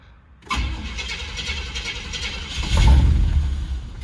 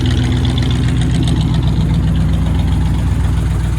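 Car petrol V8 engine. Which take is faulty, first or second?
first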